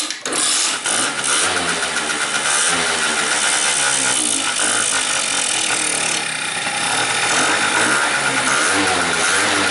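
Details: 50cc two-stroke scooter with a no-start lean condition buzzes high and uneven, hunting and dying, kept alive only by covering the carburettor bore. Lean mixture, with a stuck float needle or slow bowl fill suspected but not confirmed.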